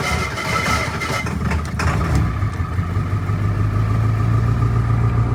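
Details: Ford 7.3 Powerstroke diesel truck, first true cold start after a self-done engine swap and alternator change, wait-to-start light blinking; cranking, then catches into a steady low clattering idle; normal cold start and idle.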